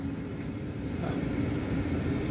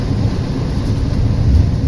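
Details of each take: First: New inducer motor just installed on an 80% furnace, replacing one that was badly out of balance and vibrating loudly: smooth steady hum, one constant tone, no rattling or wobble; normal running, much better than the old one. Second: 80% efficiency furnace: heavy, loud low rumble with a constant shaking drone; the inducer motor wheel is badly out of balance, fixed by installing a new inducer motor.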